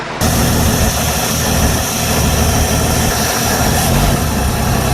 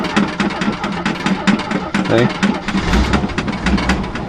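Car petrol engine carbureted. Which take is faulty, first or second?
second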